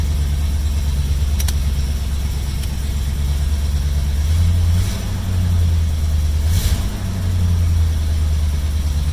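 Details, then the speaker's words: 1972 Mercury Comet, 302 V8 with points ignition and choke, warming up before plug change: slightly high, choppy, surging idle; rough idle, worse when warm, cause unknown, owner suspects plugs or possibly choke. "So it's kind of warming up right now. But you can just hear it just sitting here. It's like kind of choppy, and the idle's kind of high, but that's probably from me messing around"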